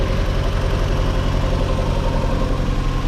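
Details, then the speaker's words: Mazda MX5 NA Eunos Roadster after the valve cover gasket replacement: a steady, even idle with a smooth low pulse and no ticking, knocking or misses. It sounds a lot better. "yeah it definitely felt a lot yeah but it sounds a lot better"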